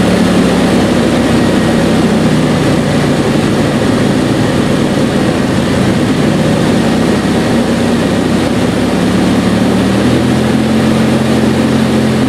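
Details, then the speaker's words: 1996 Dodge Dakota 3.9L V6 idling warm, about 110° air reaching the fan clutch thermal valve: a loud constant air roar that never eases; aftermarket fan clutch stays locked instead of slipping. "you know that air temperature is way too low that fan should slip"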